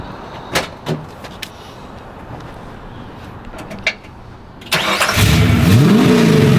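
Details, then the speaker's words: 1980 Ford Fairmont wagon swapped to a stock 1994 F-150 V8 with Mustang/Chinese headers, exhaust and AutoZone Cherry Bomb mufflers: it catches after about five seconds, then gives loud, even throttle blips, a healthy, loud V8. "I know that's like a stock 94 F-150 motor with a high can Mustang headers and exhaust Mustang some Chinese headers and some cherry bombs from Auto Zone it's I couldn't ask for a better sound dude"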